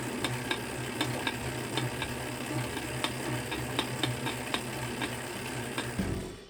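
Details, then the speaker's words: Tacx Neo series, Flux S or Flux 2 trainer: sharp cracks about twice a second over a steady hum while pedaling. Caused by a dry, ungreased spacer or cassette body in the trainer axle; fix is to remove, clean and grease them. "it could be due to a lack of grease on the spacer or cassette body in the trainer axle"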